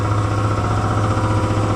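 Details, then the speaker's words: Air compressor after tightening its loose drive belt (oil also freshly changed): steady, even low thumping with constant drone, no slipping squeal, cutting out at 175 psi; running normally. "she's just hammering right along now. She just popped off. 175 psi. That makes me happy."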